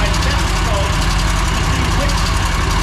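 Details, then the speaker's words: Mower small twin that made a racket and lost power while mowing, at idle; quick light sewing-machine tick over the low engine note, louder on one cylinder by stethoscope; suspected valve issue, not confirmed. "all right so as you guys can tell that's not a normal noise I'm just Ed that's that's not a good noise sounds sounds like a sewing machine definitely sounds like a Val ISU already"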